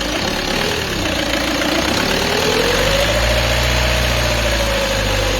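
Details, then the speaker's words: Peugeot 206 2.0 HDi 90 at idle, shortly after a timing belt job: steady diesel idle with a clear whine that rises as revs climb slightly; the timing belt was overtightened, which risks premature belt failure. "le bruit là voilà ce bruit là c'est tout simplement un bruit qui démontre que la croix est trop tendue"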